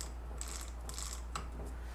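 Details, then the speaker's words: 2005 Ford Expedition 4WD 5.4L with an automatic transmission that lost 3rd gear, during teardown: the diode sprag turned by hand gives light, uneven ratcheting clicks over a low hum, which is normal freewheel action. "We have a diode sprag. Hear the clicking?"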